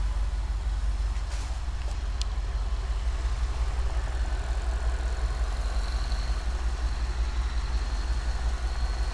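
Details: Cadillac STS petrol engine idling with a deep, slightly uneven beat: misfire caused by bad piston rings.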